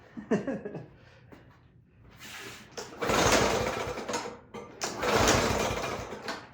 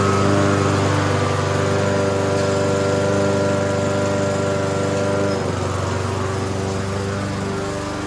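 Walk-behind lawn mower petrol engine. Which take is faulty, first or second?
first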